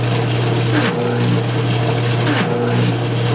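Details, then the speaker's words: GM CS130D/AD244-type alternator on a bench tester, run full blast by touching positive to the brush: rough buzzing growl with strong low hum from a bad bridge rectifier. "You hear that growling sound? You hear that horrible sound? A real growling sound."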